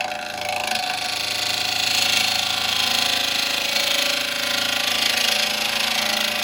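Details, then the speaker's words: Hollowing a walnut burr bowl on the lathe, taking off high spots: harsh hissing cut with rhythmic chatter about four times a second as the tool bounces, showing high spots still to remove. "I can hear the bounce, so I know I've still got some. And there, look. I've still got some to go."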